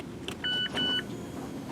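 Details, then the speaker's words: 2017 Mazda 3, electric parking brake taken out of service mode after rear pad and rotor replacement (gas pedal down, parking brake pulled, start pressed three times): two chime tones and brief caliper-motor whirs as the brakes readjust; normal. "and you should be able to hear the motors turning and now it's adjusted back to where it needs to be and it's out of service mode"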